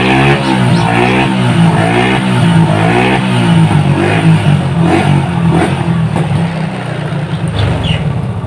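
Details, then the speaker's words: Small single-cylinder motorcycle with flooding carburetor, fouled black plug and hard starting, after fixing the carburetor manifold and loosening too-tight valve clearances: runs steadily with light throttle blips, firing evenly with no misses. "sekarang bunyi dari motor ini sudah lebih bagus ketimbang ya awalnya"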